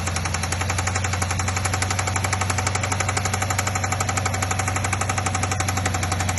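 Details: BMW engine at cold start: a sharp, regular ticking knock about four per second over a steady idle hum; source not pinned down, cause suspected, not confirmed.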